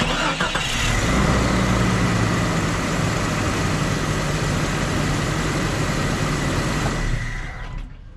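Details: 1998 Jeep Cherokee XJ after fuel sending unit replacement fixing a long crank: catches quickly and settles into a steady, even idle with no misses or knocks. Normal.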